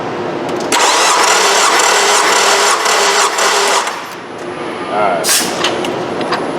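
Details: Nissan 2.5 engine compression test at wide open throttle: steady, even starter cranking for about three seconds with no stumbles; this cylinder reads about 148–150 psi, within spec (around 145–154), unlike the 90 psi misfiring cylinder.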